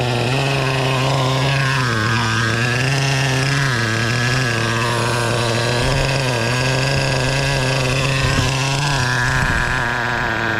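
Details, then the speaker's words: O.S. 21 TM nitro engine in a Traxxas RC car during needle tuning: high-revving buzzy note wavers and climbs, clearly changing from burbling rich to a cleaner, sharper lean scream. "cuz you can really hear the the engine change went from Rich to lean like that"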